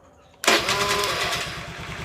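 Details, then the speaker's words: Honda Vario scooter whose starter only clicked like a weak battery, after jumping the starter relay wire, without changing CDI or battery: starter catches at once, engine fires straight into a steady even idle. "udah kelihatan ya tanpa mengganti CDI di double starter langsung bisa menyala dan tak usah repot-repot ganti.aki ya"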